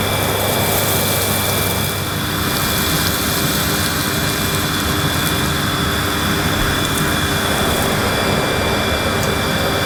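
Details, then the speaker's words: Panasonic MC-E862 bagged cylinder vacuum cleaning dirt on deep pile carpet: steady airflow roar with constant high motor whine, no surging or rattling; running normally and relatively quietly. "it's a very good performer it's a relatively quiet and it's nice to use even on this deep pile carpet"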